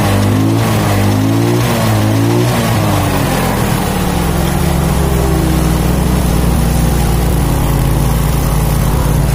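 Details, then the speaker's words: Yamaha Mio scooter after replacing the cam chain tensioner, reassembled with old gaskets and sealant; revs up and down then settles into a steady, even drone, engine smooth with no ticking or knocking from the top end. "Oke sahabat semua, jadi seperti yang kita lihat ya, ini mesinnya tetap halus dan tidak ada suara gelitik kelotok pada bagian mesinnya ya."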